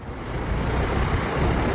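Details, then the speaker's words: Old outdoor AC condenser unit at a rental, compressor wire disconnected for testing: fan runs with a steady, smooth whoosh after the vibration fix, where it vibrated heavily before. "a lot of vibration before all the fins were moving, but uh it's nice and smooth. No vibration. And that's what you want."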